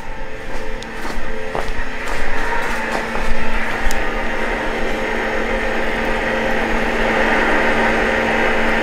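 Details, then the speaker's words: 2000hp Cummins drag truck after rewiring, electric coolant pump switched on: a steady low electric hum with no grinding or surging while coolant flows and bubbles show; the coolant pump is running normally. "so our last one is our cold pump which sounds like it's coolant pumping oh yeah she's got some flow there"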